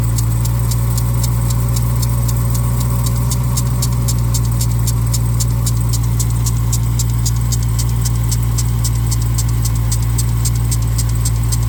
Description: Bad lower serpentine tensioner berrings on 2021 Durango making noise when cold Accessory Belt Tensioner replaced corrected issue.